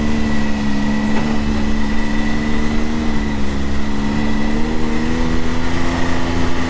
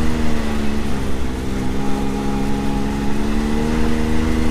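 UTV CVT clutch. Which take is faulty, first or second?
first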